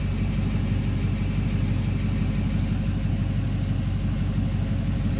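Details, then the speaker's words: 2009 Duramax diesel idling in park: a steady low diesel rumble with an even pulse and no stumble or knock; the idle is rough only in drive and smooth in park. "idle smooths out in park."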